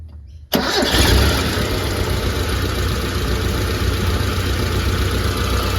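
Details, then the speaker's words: Mitsubishi Pajero 4G54 farm truck with a Weber carburettor, after the timing chain was fixed and the adjustable rockers were re-lashed: it catches after a brief crank and settles into a steady, even idle with no rattle or knock. Normal idle. "Here we are. Look, I'm not going to say this is the first start, but how good does this sound?"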